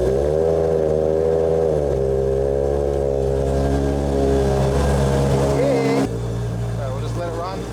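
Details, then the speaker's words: Toyota Supra 2JZ on E85, after injector cleaning and reassembly, first start: a smooth inline-six catches and settles into a steady idle, revving up and down cleanly; running beautifully. A vacuum issue is suspected afterward. "it warm up and I'll get back to you guys can never get sick of that sound just a cab 2J and the smell of be 85 she's running she's running beautifully"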